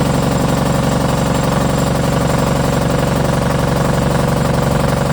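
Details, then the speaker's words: MEP-002A military diesel generator, rusty fuel filtered: steady even diesel clatter at constant speed with a firm low thump, no misses or knocks; runs healthy. "a little bit of SL but it probably has to run I'm glad knows how long let that run for a little bit all right number one works that's pretty freaking cool"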